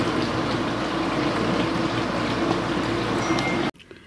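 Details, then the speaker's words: Kenmore Ultra Wash dishwasher after repair: steady water swish and pump hum, grinder audible, no grinding or knocking loud noise until shutoff; normal running. "so I can hear the grinder going but I don't hear that loud noise anymore [Music] so I think this is better"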